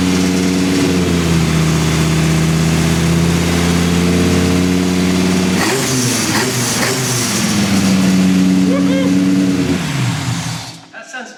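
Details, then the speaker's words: V10-swapped BMW E46 M3 with individual throttle bodies, at first start after exhaust manifold leaks were fixed: zingy, stumbly revs and idle with an uneven beat of about four pulses a second; throttle-body airflow very out of balance. "Sounds a bit zingy. It's definitely still stumbly, but what I've also done is I'm very familiar with the use of these on all of my cars with silly ITBs. Basically check the airflow in every single one of these. It is very out of balance."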